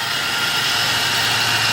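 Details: 2004 Toyota Tacoma SR5 3.4 L V6 5VZ-FE, manual, 280,000 miles, engine bay at idle: constant loud high whine with rough growl over it; growl or power steering whine debated.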